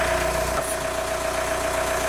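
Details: 1998 VW Golf TDI ALH diesel with intermittent P1248 injection timing deviation code, output test cycling the N108 timing valve on and off: steady idle clatter shifting tone as timing switches; normal idle, timing control working.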